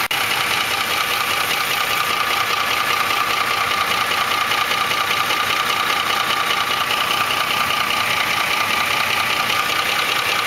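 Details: 2004 Ford F150 5.4L 3V at idle: fast, fairly even ticking about two or three per second, timing chains slapping against the engine block from failed chain tensioners; fixed by replacing cam phasers, timing chains and tensioners.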